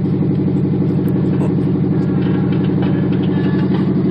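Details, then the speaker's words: 1977 Monte Carlo during cold warm-up on choke after sitting a day or two: fast idle, lumpy uneven pulse about three beats a second, deep rumble; choppiness improved but still choppy high idle. "Like I said, you can hear the choppiness of it, or at least the cutoff that it was doing before to be, a lot better. But it's still not quite there yet, to the point that I could drive it and it won't give me issues."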